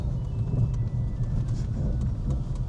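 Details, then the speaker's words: BMW E46 M3 on Öhlins Road & Track coilovers fitted about three years ago, driving over poor cobbles and tram tracks: heavy rumble with scattered sharp knocks from the rear, like something loose; cause not pinned down. "I don't know if you can hear that noise. That's one of the noises that really bugs me. It's like something is loose back there."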